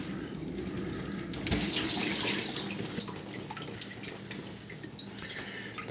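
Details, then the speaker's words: Bosch SMV50E10RU/D5 Type SD6P1B dishwasher, brought in for humming and not starting, test run on short program, before repair: recirculation starts after fill; steady water swishing with low even pump hum; normal recirculation pump running. "три пробы должны быть запуска после этого начнет заливать посмотрим еще недостаточно предлагает заливать пауза и пошла рециркуляцию"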